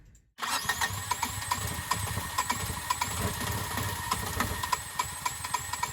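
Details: Sailboat engine's first start after a part replacement, before leaving Salcombe for Falmouth: starter churns briefly, catches at once and settles into a steady, even idle with a regular light knock; starts and runs fine.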